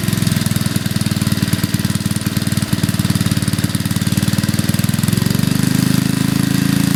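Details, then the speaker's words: 40-year-old Briggs and Stratton small single after repair, air cleaner off: steady, even rapid firing with no misses or knocks, speed rising slightly near end; runs healthy. "I think it's running just fine. Everything works."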